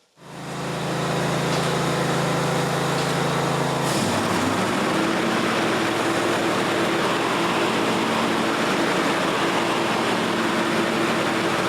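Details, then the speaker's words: John Deere GX255 mower after deck rebuild with new pulleys and belts: steady engine hum, then blades kick in at about four seconds with a brief soft dip and smooth, even run; normal, smooth blade engagement. "One thing I like about these John Deere, a lot of them, real smooth blade engagement. You hear how smooth that thing kicked in? I like how smooth that kicks in."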